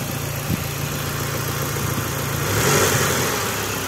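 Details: Mitsubishi Lancer 9 with 4G63 turbo, hot engine, knock appears only when hot and vanishes when the hydraulic tensioner is held with a special tool: steady, even idle with no knock; tensioner failed, to be replaced.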